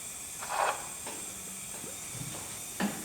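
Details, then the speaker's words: 1997 Suzuki GSXR750 with low compression, leak-down test on cylinder two: quiet steady airy hiss of compressed air with handling taps, some air leaking past intake valve, less than cylinder one; valve clearance fine, poor valve seal, may need valve job. "There is some coming out of the intake but nothing like the last one."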